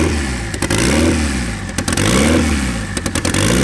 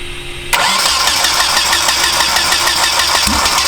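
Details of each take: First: Turbo KA24DE swapped into RWD Honda Civic, map set, smart coils fully sequential: loud raspy drone with throttle blips, rough-edged from open hood dump exhaust but pulling evenly; running fine. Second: Turbo KA24DE swapped into RWD Honda Civic, first start-up: starter whir then lumpy uneven firing about four beats a second that never smooths; misfire from a bad cam trigger signal.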